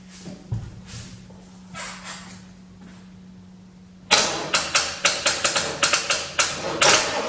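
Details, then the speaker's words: 1985 Corvette C4 after sitting about two years underground, started with spray into throttle body; uneven sputtering pops about two a second, never smoothing; rough running, steaming probably from spilled fuel, no rear smoke. "it sounds not that bad besides the massive ai"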